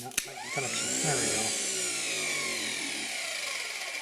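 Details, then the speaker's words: Starter on an old Ford industrial 4-cylinder chipper engine, run off a jump pack after new brushes and a cleaned commutator: whine climbs quickly to a smooth, even spin with no sparking at the brushes; healthy. "sounds good don't see any sparking on the brushes"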